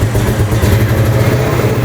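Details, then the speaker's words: Old Mustang GT V8 found rotting in a field, first start after fuel pump priming with intake and MAF sensor reconnected: uneven lumpy beat that stumbles, misfiring but running; cause not yet found. "There we go. It sounds like it's misfiring, but it's running. See if it idles up. Misfiring."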